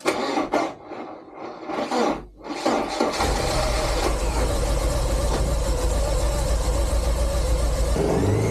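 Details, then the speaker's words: 1986 Porsche 944 with a no-start where the two front plugs were wet with no spark, after swapping plugs: uneven cranking, then the engine catches and settles into a steady, even run with no misfire. Normal start and idle. "those are really old plugs new plugs starts I'm just so glad it runs honestly"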